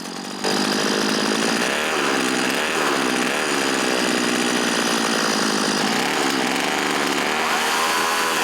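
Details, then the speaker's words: Forgotten small two-stroke chainsaw after budget replacement carburetor installed, air cleaner element and top cover off, high-speed mixture needle slightly adjusted: loud steady high-pitched buzz held at high revs without stumbling or surging; runs clean and strong. "After a small adjustment to the high-speed mixture needle, the forgotten little saw runs like a champ."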